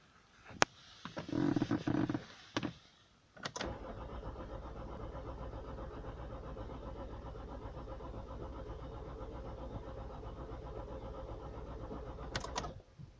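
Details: 2006 Toyota Corolla Verso D4D 180 hp diesel in winter, hard starting only with jump battery: few short clunks then long sluggish even crank that never catches; faulty starter motor confirmed as cause.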